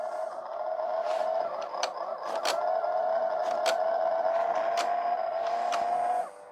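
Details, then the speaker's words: E-waste LG/NEC VCR: steady mid-pitched motor whir with scattered clicks that won't stop, front panel stuck on rewind after play pressed; owner suspects faulty mode switch contacts misreading mechanism position. "I wonder if this switch has problems in the contacts. If it's still saying rewind even after this switch has play pressed, still saying rewind on the front panel."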